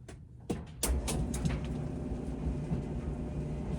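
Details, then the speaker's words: Whirlpool dryer YWED4850HW0 that would not start, with the start switch bypassed by a jumper: a few sharp clicks, then an even low drum rumble; it runs normally, confirming the faulty part is the start switch. "You can see I plug in this jumper, the dryer start spin. So that means it's only this start switch is the faulty part."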